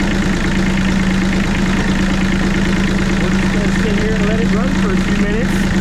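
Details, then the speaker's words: Bomag BMP8500 diesel roller after the throttle solenoid adjustment and fuel filter change: steady, even idle chug that holds speed without hunting or dying; runs really good. "and see if it stays running all right folks so our little BMP 8500 bow mag well it runs really good"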